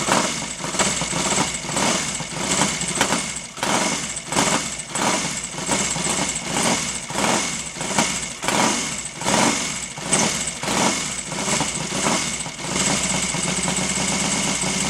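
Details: Royal Enfield Interceptor 750 twin, first start after top-end rebuild (new piston rings, valves reground) for oil burning: idles unevenly, beat surging and sagging about every second, no smoke; rough running, owner suspects carburettors (one sticking) and ignition timing.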